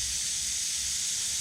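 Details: 1969 Chevy Nova heater core pressure-tested at about 20 psi: steady high hiss of air escaping, sound changing near the back side of the core or a seam; leak in the heater core.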